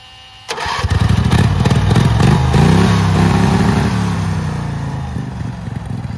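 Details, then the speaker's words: Turbocharged Wheel Horse mower engine at full throttle, boost gauge near zero psi: revs hard then note wavers and drops away near top speed, cutting out; owner suspects high-rpm fuel starvation, plans fueling and timing rework. "uh you hear it kind of cuts out so it's fuel I'm sure there's fuels starvation issues and stuff at high RPM"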